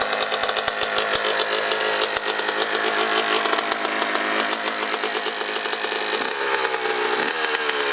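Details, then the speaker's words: 2003 Honda CR125R two-stroke, low hours, top end never rebuilt, at idle: a light, fast tapping from the top end over the rattle; owner suspects piston slap, a sticking power valve or the reeds; top-end rebuild planned. "definitely noise in the top end sounds like maybe piston slap or something going on so let me know if you can figure out what that is"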